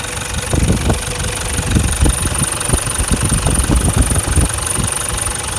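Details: 2012 Toyota Land Cruiser Prado LC150 diesel, injectors never changed, slight exhaust smoke: loud uneven clattering knocks over the idle rumble, several a second; diesel knock at idle, cause not confirmed, engine later found with cracked piston.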